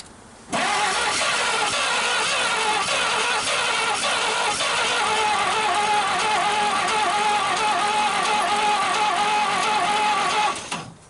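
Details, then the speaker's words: 1939 Chevrolet Master, first start attempt in 48 years with sandblasted plugs and a coil hooked up, throttle stuck: steady starter churn around three beats a second with faint irregular puffs; weak occasional firing, apparently one cylinder with good compression, no proper catch. "Definitely she's firing a little, doesn't she? Yeah, she was trying."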